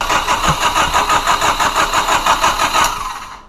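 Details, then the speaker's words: White 1995 Honda Del Sol Si that would not start; owners first suspected the fuel pump and fitted a new pump and filter. Starter churns steadily, about three beats a second, never catches; crank no-start finally traced to a faulty ECU. "it's not working so we're gonna figure out what's wrong with it he's gonna try and turn it on and we'll see what happens"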